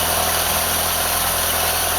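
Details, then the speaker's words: 1976 Fiat Spider, freshly rebuilt and installed engine on first start: smooth, even idle with steady low hum, no misses, ticks or knocks; normal idle. "Any power to it at all? Well, it's running nice."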